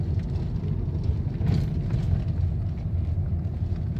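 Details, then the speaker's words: 2009 Lexus GS350 test drive on the same rough road, recorded in the cabin, after fixing a rattle that seemed to come from the underbody but was actually inside. A loose bolt was found under the removed cover and tightened. Now only an even, low road rumble with no rattles. "조용하죠 밑에 다 뜯어 놓은 상태에서 그 다음에 볼트 조인 다음에 시운전 중이야 지금 소리가 지금 안 나고 있습니다"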